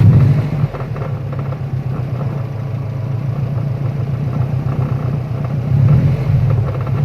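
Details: Car engine idling with a low rumble and a faint, regular knocking tick; it started just moments earlier, and the owner suspects rod knock or a bad timing tensioner, unconfirmed.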